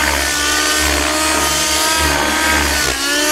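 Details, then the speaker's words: RC helicopter after its blade tracking was fixed: a loud, steady engine with a clean, even rotor swish that rises and falls with the manoeuvre, with no raspy sound at the end of the roll. Normal rotor blade noise. "I'm going to show you how the blade should sound out now you hear like late noise like but you don't hear that raspy"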